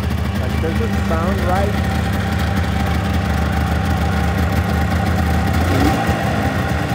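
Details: Engine started after checking coolant levels: steady hum with smooth, even beat that sits a little fast for idle; owner asks if it revs a bit high, possible high idle, cause unknown.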